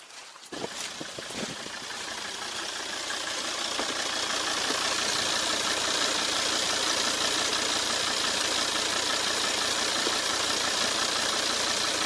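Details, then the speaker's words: Car started after a lock-up blamed on suspected differential sensors: steady, even idle with a smooth hiss and no knocks or misses, then a rev. Sounds normal and healthy. "Sounds normal to me. I'll just rev it, nothing. Alright. That sounds really good."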